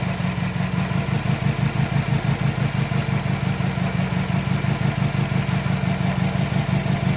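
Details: 2005 Subaru WRX EJ20 at idle, pulsing about three times a second with a lumpy, uneven beat; code P0340 and cylinder 3 misfire despite new coil, plug, front O2 sensor and battery; compression good, fuel flowing, plug sparks.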